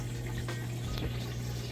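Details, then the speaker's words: Amana HE top-load washer with center agitator, heavy load of jeans, towels and jackets on heavy soil and deep water wash: steady low pump hum under rushing, splashing water, no knocking, normal drain and rinse fill. "Then it'll fill up with fresh water and agitate for a bit on the rinse cycle. And when it's done with that, it'll drain that water out, and then we'll be on to the final spin cycle, which is what I'll come back for next."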